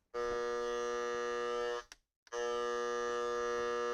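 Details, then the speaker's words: Noise sniffer plugged into a standard AC wall outlet, translating line noise into sound: a steady, loud buzzing tone with many even overtones, cut briefly then back. The outlet carries heavy electrical noise before any filtration. "the louder the sound the more noise there is on the AC line as you can hear this standard AC outlet is transmitting a lot of noise"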